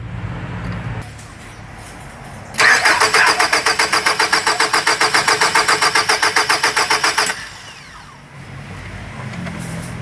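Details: 2003 Nissan X-Trail QR20DE, code P0335: starter cranks steadily about four pulses a second for nearly five seconds without firing, then stops; crank no start caused by crankshaft position sensor fault.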